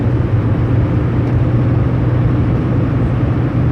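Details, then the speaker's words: Chevy Duramax diesel pickup, just back from the dealer for oil smoking, with rotors replaced within the past year. A steady low hum under road rumble at cruising speed seems to come from the front end; cause unknown. "like something to do with the front end but I don't know"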